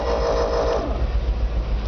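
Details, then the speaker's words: 1999 GMC C7500 forestry bucket truck engine started from the cab, strong oil pressure; brief starter whine, catches immediately and settles into steady, even low rumble; normal start and idle. "Okay folks, as you can see there, she fires right up."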